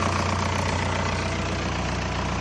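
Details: VW TDI diesel after intake manifold and EGR valve cleaning, idling: even diesel clatter at a steady idle, firing smooth and regular with no stumble or hunting; runs properly.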